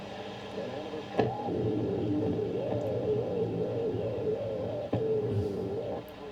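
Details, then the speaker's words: Philips 3362A 1946 Australian valve radio after voltage raised: muffled, warbling, badly distorted audio fading with sharp pops; owner suspects capacitor issues, not confirmed. "that sort of sounded all right but very very distorted and yeah sounds like it's got some capacitor issues"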